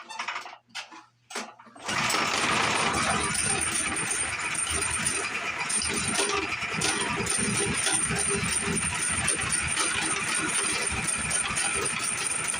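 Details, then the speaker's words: Gas engine powering a metal lathe, started with choke on: quiet for two seconds, then a raspy catch and uneven, stumbling running; owner says it dies at idle with choke off but runs fine once revved up; rough running with choke on. "crank it's not running very good"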